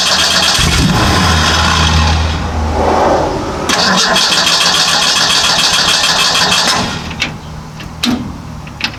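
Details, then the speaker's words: Model A hot rod coupe with a 2.3 L Ford 4-cylinder and Duraspark II ignition, new ignition box fitted: the starter churns, the engine catches and roars briefly, then dies back to cranking and weak clicks as the battery fades. It fires on crank but won't keep running. "It starts on crank but it won't start and run. It fires on crank but it won't stay running."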